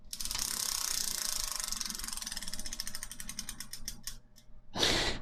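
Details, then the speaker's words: Rebuilt rear wheel of a Raleigh Chopper bicycle spinning and coasting down, with crisp, even freewheel ticking as the pawls engage cleanly; normal freewheel clicking. "sound good in there yeah freewheel seems to be working on right now so yeah done and dusted first wheel"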